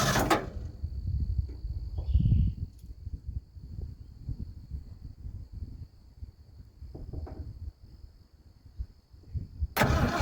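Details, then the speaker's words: 1980 ramp truck, 351M V8, idling after ~25 years sitting, heard from outside the cab: soft, low idle rumble, no knocking, ticking or clicking; almost 80 psi oil pressure, which owner finds concerning, but runs pretty good. "All right, so there you have it. It is sitting here idling, and I don't hear any knocking. I don't hear any ticking or clicking."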